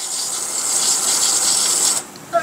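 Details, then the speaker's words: Semi-jet water pump fitted with Shimizu APC pressure switch, outlet tap closed: steady hissing run cuts off cleanly a few seconds after closing; normal automatic shutoff. "Nah, mati otomatis."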